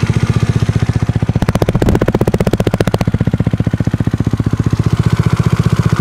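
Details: Tripple88 Zuma 164cc kit: sharp, regular ticking about three per second over a single-cylinder idle, louder on a brief rev; source unknown.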